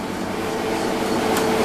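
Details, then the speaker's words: Milesto espresso machine, hot, steam knob shut tight: steady pump hum under a constant hiss of steam that keeps escaping even fully closed; steam valve/knob leaking. "Hai kalau ini posisinya udah panas ini posisinya uap jadi kayak ada bocoran-bocoran uap nah kelihatan kan tuh kayak wap padahal ini posisi tertutupnya harusnya segini namun deres banget uapnya Hai Meskipun kita udah tutup rapat tetap meluap"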